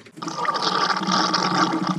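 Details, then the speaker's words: Ford Super Duty 534 V8 in a 1952 Kenworth Pacific bus, fed by a new electric fuel pump: steady gurgling pour with a thin pump tone. Fuel is overflowing the carburetor and dripping out the side because the float is stuck. "That sounds like something's overflowing. Yeah, I think we have fuel pouring straight in. Got fuel dripping out the side. Looks like this float is stuck and it's overflowing right there."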